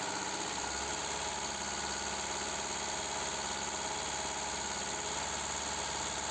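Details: Idling engine with a misfire on one cylinder, being diagnosed with a scanner: steady idle with an uneven, pulsing beat and a faint knock underneath; engine misfire at idle.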